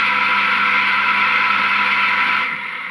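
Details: Drainage pump that hummed but would not pump, after cleaning and drying inside: steady even motor hum with smooth buzz, no rattle or labouring; pump running normally after repair.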